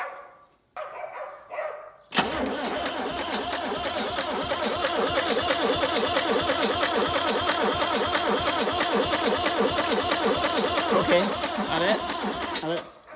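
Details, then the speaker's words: Range Rover Classic turbo diesel, first crank on a fresh battery; starter churns about three beats a second, even but unsteady, never starts; there is some compression, not seized, but the owner suspects something is leaking. "so there's this sounds like there's some compression although it sounds like there's something leaking somewhere um but there's some compression it's turning it's not seized"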